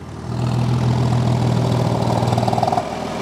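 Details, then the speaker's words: Porsche 986 Boxster S with newly fitted aftermarket vacuum exhaust bypass valves: steady flat-six idle burble, then note drops and quietens as the valves close when switched off; working normally. "there we go you can hear that they close"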